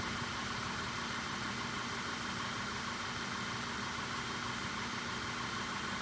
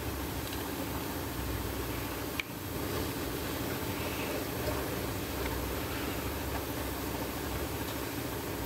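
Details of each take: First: VW Jetta GLI idling with misfires on every cylinder and cylinders deactivated, long-term fuel trim around 30: rough unsteady idle behind heavy hiss; suspected cause ignition coil connectors backed out with broken locking tangs, later connectors and coils replaced. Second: VW Jetta GLI with flashing check engine light and misfires on all cylinders, compression test while cranking: even, steady starter churn, readings a little over 150 psi, even compression on accessible cylinders; normal cranking compression.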